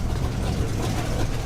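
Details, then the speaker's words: Oldsmobile 442 V8, revived after 20+ years sitting, on a road trip, started cold: low even burble with steady firing rhythm, no knocks or misses; normal cold idle. "Oh yeah, she sounds good cold."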